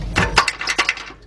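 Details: 2004 Nissan Maxima, noise from under the front of the car, driver side: quick burst of five or six sharp metallic clinks as the exhaust pipe is struck; loose exhaust part or clamp suspected, not confirmed.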